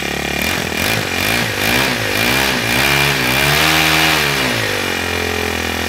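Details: Ryobi S430 30cc four-stroke overhead-cam string trimmer engine, removed and mounted on a wooden stand: revs blipped up and down from idle, rising and falling cleanly with a buzzy note, running normally.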